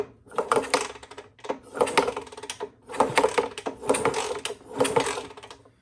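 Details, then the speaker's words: Honda S65 custom with a 140cc four-stroke Lifan engine, long stored: five kicks about a second apart, ratcheting clatter, no firing; cranks but won't start, no spark, pickup and a loose ground wire suspected, original coil about to be tried. "now we still don't have any fire i just make sure i don't think that switch up there's anything we got nothing"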